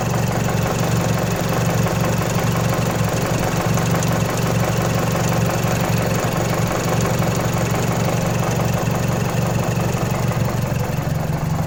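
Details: Mazdaspeed 3 turbo petrol engine at idle: steady idle with a fast, uneven metallic rattle over the low hum; suspected timing chain noise, not confirmed.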